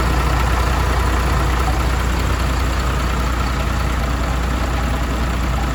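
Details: MAN TGM truck, D0836 LFL 63 diesel, after engine rebuild for smoking and misfiring, with bench-tested replacement injectors: steady, even clatter with firm low beat, no stumbles or dropouts; normal idle.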